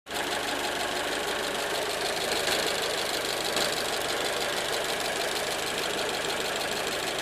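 Steady running engine with a fast, even metallic ticking riding over a hissy top end; some kind of knock, cause unclear.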